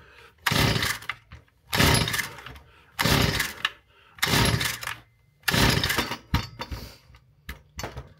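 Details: Stihl FS 38 trimmer being repaired, pull start after carburettor adjustments; about five pull bursts, rough rasp that won't catch, sharp exhaust pops near the end; backfiring, no start, cause unclear.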